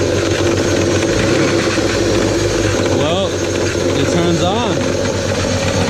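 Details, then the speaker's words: 2002 BMW 540i (E39) V8 parts car, owner says it runs like junk, just started: uneven lumpy idle with chatter; rough idle, cause not found. "Oh, wow, it turns on. Oh, it doesn't sound very good."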